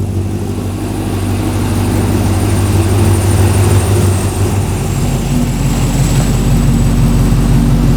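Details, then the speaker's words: Ultima RS kit car with newly built 6.2 L LS3 V8, first ever start on the first turn of the key, indoors in garage, a bit smoky; deep, smooth rumble swelling with throttle and settling, no knocks or misfires: normal revving. "that success on the first turn of the key now that's what I call a result don't you sound nice"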